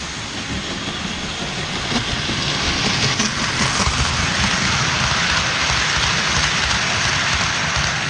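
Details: Restored 1949 Lionel 2026 steam engine running around the track with voltage turned down: constant whirring hiss from the small motor with light wheel clicking; speed holds steady, runs smoothly, normal.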